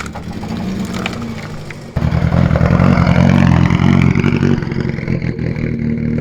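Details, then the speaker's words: Nissan S13 Silvia, first start: loud lumpy idle with uneven pulsing that jumps when revved, very loud unmuffled exhaust; engine running rough, cause unconfirmed, perhaps just cold. "See if it runs. I'm keen to hear it start. Oh, it sounds like ass right now."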